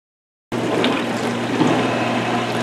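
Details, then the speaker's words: Whirlpool Gold Series dishwasher that grinds and hums during the drain cycle, heard here in the wash portion: soft even water swish and low pump hum with no grinding, so the wash cycle is normal. "dishwasher is washing right now and there is no noise so when it washes the water flows fine through the dishwasher the swirling blades that part of the cycle is fine"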